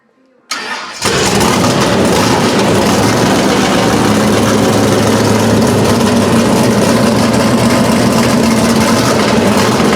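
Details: V8 with a newly fitted Edelbrock Pro-Flo 4 EFI, first start, injection not yet fine-tuned; brief crank, then catches and settles into a strong, steady idle with an even burble; normal start and idle.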